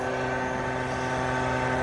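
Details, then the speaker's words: Carrier package unit blower on a no-heat call, belt tight: steady droning hum with fixed tones from the fan drive, no knocks; technician judges the blower drive is getting ready to fail. "It sounds like it's humming. Come on. It's on there tight. It's not humming, it's the drive getting ready to fail."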